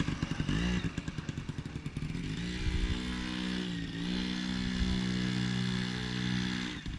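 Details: 1980 Yamaha QT50 two-stroke, test run after first start in eight years and new parts including exhaust gasket: light buzz rising and settling with throttle, steady pitch, no knocks or rattles; normal running.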